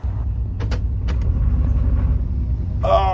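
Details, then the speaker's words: 1993 Chevy Silverado (OBS) 4L60E automatic, reverse repeatedly failing to engage: deep uneven rumble with rough irregular clunking underneath; failing transmission, later replaced with a stage 2 unit. "Oh, that sounds so bad. Hold on."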